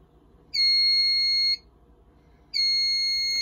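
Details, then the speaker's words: Fire-Lite MS-9200UDLS addressable panel during a Wheelock system test: a module is deliberately disabled and the panel sounds a steady high electronic beep, about one second on and one off, as a trouble signal showing an invalid reply from the non-responding module. "and you can see it now has an invalid reply because you can see that module is not responding anymore"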